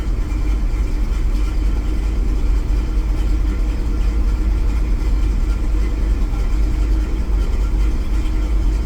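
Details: Truck with a recently replaced distributor and no catalytic converter, from cold start, with a new knock sensor and a knock count of 27: low, lumpy idle that shakes and hunts; misfire suspected, cause not confirmed. Rough idle.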